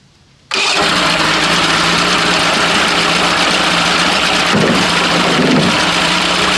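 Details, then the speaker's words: Mercury Classic 50 outboard, started with accelerant sprayed into the carburetor, possibly in gear. It keeps running at a steady, even speed after the ignition is switched off; the kill circuit is suspected not to be grounding, unconfirmed. "Sounds like we're welded. I'm not sure how it's running anymore. I have the ignition turned off. Yeah, I figured that would have killed it."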